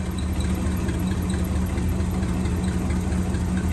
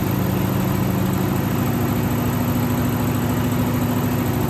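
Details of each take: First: 1963 AMC 287 V8 Rambler wagon, cold, stethoscope on power steering pump: smooth, even low hum over steady engine drone, no knocks or whine; pump healthy, while the squeal comes from the valve cover (oil-starved rocker shaft). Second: 1963 AMC 287 V8 Rambler wagon, cold start after sitting: rough idle with a steady high squeal over valvetrain chatter, first mistaken for a belt; left-bank rocker shaft oil-starved after its bolts were mixed up during valve stem seal work.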